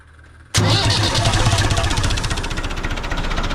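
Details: Universal tractor with glow plugs fitted, cold: steady cranking at about four pulses a second, engine turning but not catching; starter gear slips on long cold cranking, hard cold start, cause unclear.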